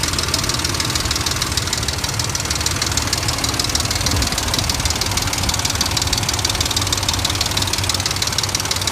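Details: 2003 Dodge Ram 1500 4.7 engine at rough idle with loud, fast, fairly even knocking, roughly three per second; internal knock of unconfirmed origin, which some mechanics blame on the timing chain while others recommend an engine replacement.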